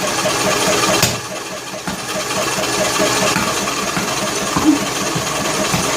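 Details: John Deere L100 lawn tractor engine, cranking on choke with valve cover off: irregular sharp pops, about four a second, over ragged labouring as it tries to catch, spitting through intake and exhaust; owner suspects sheared flywheel keyway (timing off) or unsealed valves.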